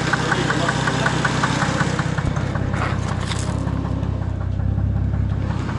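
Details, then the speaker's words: Car on its first drive after winter storage, new Toyo tyres and fresh alignment: sharp light ticks about five per second over steady idle, owner worried about tapping in the engine; cause unconfirmed, ignition timing to be checked. "не смущает некая постукивание как будто в моторе"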